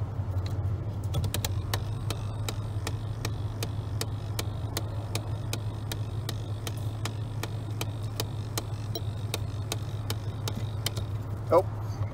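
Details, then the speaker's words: 2001 Chevrolet Silverado with broken A/C: terrible regular clicking, about twice a second over a low hum, traced inside the box behind the removed lower dash panel; owner thinks an air-conditioner motor, possibly fan. "i found where the terrible clicking was coming from the terrible clicking sound is in here"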